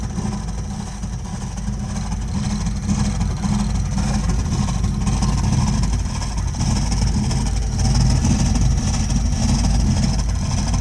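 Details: Burnham Alpine boiler with a continuing problem of loud noises: a loud, deep, continuous rumble with a rough, uneven pulse that never lets up, abnormally noisy, cause unknown.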